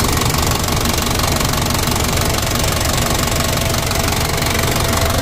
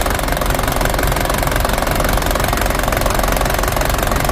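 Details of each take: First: Toyota Dyna diesel at idle after injection pump rear-section repair and plunger replacement, pump being warmed up and adjusted: steady, even clatter with a regular low beat and no misses; running smoothly, much improved over before. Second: Toyota Dyna diesel: long cranking, then idle lurches and stumbles with uneven knocks, worse when hot; adjustment can't fix it, rear injection pump plungers being repaired.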